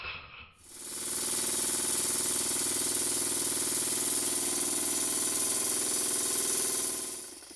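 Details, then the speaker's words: Stuart Models No. 10V model steam engine, a former non-runner, running after repair with slight crankshaft end float: crisp, regular exhaust chuffs about four per second over a steady air hiss, running smoothly and evenly. "I'm going to leave you with the engine running"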